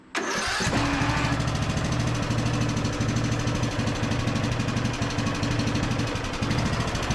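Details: Briggs and Stratton–powered Craftsman DLT3000 riding mower, repaired no-start, cranked for test drive with mower deck: catches quickly, then a steady even single-cylinder beat, no knocking or grinding; engine and deck sound healthy.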